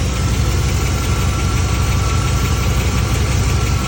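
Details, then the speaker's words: 1991 Chevy OBS K1500 truck with 5.7 TBI V8 after a jump start, steady low idle with a faint loosely spaced light tick about three a second; owner thinks it sounds like the injectors, source not confirmed. "Trying to chase down this damn ticking noise he started hearing. So you can almost hear from here."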